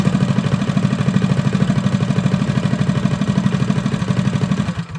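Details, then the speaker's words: Freshly rebuilt Predator 212 on a Motovox minibike, new billet parts, rod and cam, broken in by revving and idling: even single-cylinder thumping near three beats a second, steady and clean until shut off. "So now that we have all our nice new shiny billet parts, we've spent a little time revving it, letting it idle for a while. Everything should be nice and broken in."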